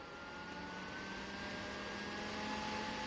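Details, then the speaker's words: SmartDevil small USB desk fan turned up to high speed: steady airy whoosh with faint motor hum growing louder; powerful but loud, functioning normally. "you can see, that's quite loud. Powerful, but loud."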